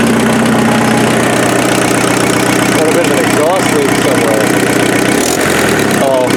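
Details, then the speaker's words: Offroad Mazda truck's freshened replacement turbo diesel at idle, cold-start advance disengaged: steady, even, unchanging beat with no knocks or misses. Not smoking, much smoother than the old engine; normal healthy idle. "it's so much smoother so much smoother than the other engine"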